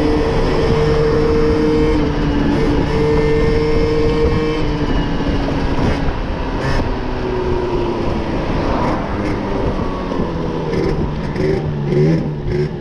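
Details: Moped/scooter two-stroke after carburetor leaned out to suit its air filter, top speed up from 30 to 70 km/h; even buzz rises as speed builds, slight softness low down, otherwise running cleanly.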